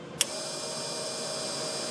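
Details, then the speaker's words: Ford rear air-ride compressor run directly by jumpering the relay wires: a sharp click, then a steady high-pitched electric buzz with hiss and no pumping rhythm. The pump runs but is broken internally. "Now, my pump is working, but mine's broken internally. So, that's why mine's making the noise right now."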